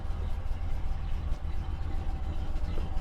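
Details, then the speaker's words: Dodge Monaco with Thermo-Quad carburetor after free carb fix, warming up: very slow, uneven, lumpy idle dragging so low it sounds ready to stall; mixture and kickdown screws still need adjusting. "Oh, it sounds so bad. It sounds like it's gonna die."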